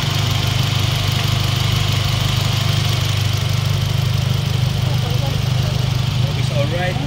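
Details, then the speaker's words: 2017 Honda City 1.5 with the AC on, after the noisy compressor was replaced with a Japan-surplus unit: a steady, even low hum with no drone or rattle. The engine now runs quietly and healthy. "Nagpalit tayo ng buong compressor yung ginamit natin Japan Surplus mga boss kasi medyo pang budget me lang ang kaya ni Bossing sa compressor napakamahal po kasi ng brand new ng mga ganitong compressor ng Honda City Ayan so sobrang tahimik na mga [Musika] boss tahimik na"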